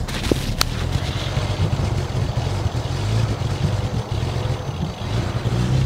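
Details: BMW 335i with a known misfire that is worst on cold start: uneven, lumpy idle that sags and stumbles, sharp clacks early and loud injector tick; engine misfiring and dying, cause not confirmed.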